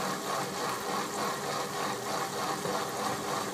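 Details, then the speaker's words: Workshop central heating circulation pump on a small circuit, possible airlock or blockage: faint steady mid-pitched hum with light rattling flutter at speed settings one to three; owner suspects cavitation, not confirmed. "that pump does sound like it's cavitating I don't know"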